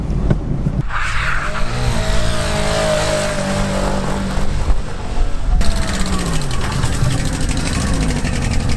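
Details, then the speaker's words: Test car engine damaged by shifting into 1st gear at about 90 km/h: rough, uneven, straining sound, won't rev higher, moving slowly; runs on three cylinders, misfire. "We can say this engine is broken it runs on three cylinders"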